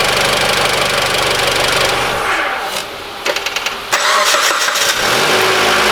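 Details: Mitsubishi ASX 2013, 1.8 petrol, CVT, FWD, 448,000 km, engine warmed: clean restart into smooth idle with no squeal or rattle; intermittent roller-like rattle not reproducing; cause later found to be alternator overrunning clutch pulley, replaced without removing alternator.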